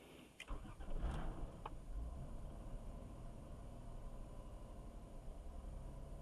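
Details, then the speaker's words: Caravan that died in a parking lot, revs reportedly rising then falling, quarter tank of gas: short crank, catches and flares, then sags to a weak uneven rumble struggling to hold idle; won't idle, cause unconfirmed. "So the first thing you're going to do is try to crank it over and see if you see anything that's abnormal. Does have some gas in it. Does have a quarter of gas. So it's not idling."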